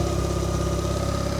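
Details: Turbo Mazda RX8 after 5-speed gearbox, flywheel and UniClutch install, first start while bleeding coolant, low thermostat around 78–80°: smooth even rotary idle, steady buzzy pulse, no misses, knocks or surging; healthy.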